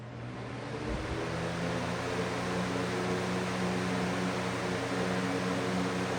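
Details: Lasco 3733 box fan, built around 2020-2021, after service and oiling, cranked to high: smooth steady whoosh building as the fan comes up to speed, even low hum (partly a Toastmaster running on low nearby), no rattles or scraping; normal running.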